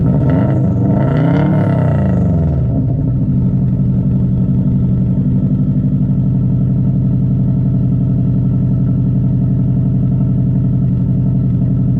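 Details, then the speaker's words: 2002 Subaru WRX with straight pipe, after compression test and injector reconnected: fires with a rev, then loud, throaty idle with occasional uneven beat; intermittent misfire, running rich, a plug still to be fitted. "'m gonna plug this injector back in and it probably will still slightly misfire here and there"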